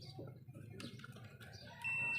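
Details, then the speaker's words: Old-model National stand fan that only hums with no power: a multimeter continuity test on the power cord gives a steady high beep, showing the cord is good. "Ayon din ibig sabiin walang problema yung kanyang power cord"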